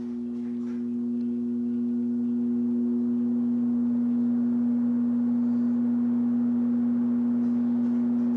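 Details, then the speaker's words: 1969 Sears (Vernco) box fan, 3.7 A 1/12 HP motor, not oiled, on low speed: steady, resonant low hum with a faint pulsing. Sound oddly fades out on power-off; cause unknown. "something that I noticed is it's very strange the resident humming on low there's a very slight like Fade Out of the sound when powering off the fan"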